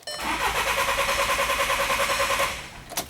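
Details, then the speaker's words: 2011 VW Jetta 2.0 TDI towed in after it quit running, with low fuel pressure trouble codes and a full tank; cranks evenly for two seconds, kept brief to protect the high-pressure pump, but won't fire; cause not yet diagnosed. "not starting I'm not gonna crank the hell out of it in order to trying make it start"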